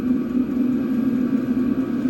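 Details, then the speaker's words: Vevor 8 kW heater powered by an EcoFlow River Mini, running at full power (level 10) after preheat: a steady, even mid-pitched hum and blower rush with no knocks. It burns smoothly, drawing 26–50 W. "intenant, c'est à fond. C'est-à-dire le préchauffage est terminé, il fonctionne au maximum de ce qu'il peut."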